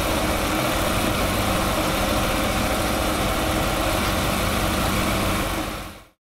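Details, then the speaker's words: Ferrari 308 idling fast (about 1500 rpm spec, probably a bit too high) suddenly gives a loud steady steam hiss, then cuts off; overheating boil-over. "well that was hairy and really unexpected and only 10 seconds before a glue I had my head right there"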